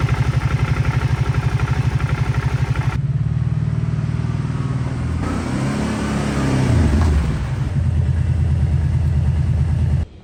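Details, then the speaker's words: 2011 Kawasaki Brute Force 750 before repair: lumpy idle thumping about four beats a second, a short rev that picks up cleanly, then back to a shaky idle; dies at idle but fine under throttle; owner suspects the idle air control valve. "so let's see if we can fix that really rough idle. And it seems to constantly die too if you're just idling, but when you're giving it any throttles, it's just fine."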